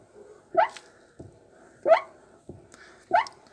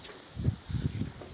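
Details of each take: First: Hyundai Accent Blue door swinging open and shut: three sharp rising squeaks with softer knocks, a chronic material-related squeak from the dusty door check strap, fixed by greasing it with yellow grease. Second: Hyundai Accent Blue door swinging after yellow grease was applied to the door check straps: soft thumps with no creak or squeak left, fixing the chronic dust-related door squeak.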